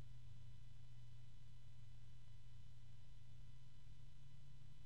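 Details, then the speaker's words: Lian Li Uni Fan SL-INF 120 ARGB reverse-blade fan at its lowest speed: quiet steady low hum with faint whir and audible harmonics; already a noisy fan, louder than a Noctua A12x25. "I keep on hearing harmonics there's a strong one there oh there's another strong one so you can hear that this is quite a noisy fan to be honest"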